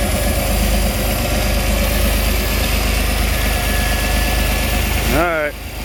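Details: 1988 Pontiac Fiero Formula 2.8L V6 at steady, slightly uneven idle with a faint hiss-like rumble, louder around or under the throttle body; owner suspects a vacuum leak, but spraying propane didn't change idle; source unclear, performance loss.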